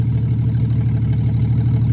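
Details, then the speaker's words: 1963 Plymouth Valiant slant six, cold idle after carburetor reinstall, no choke stove, coolant very low: deep steady even idle hum, no misses, knocks or hunting; healthy, sounds happy. "I can't run it all day. The coolant's super low, but I can't help but notice it sounds pretty happy."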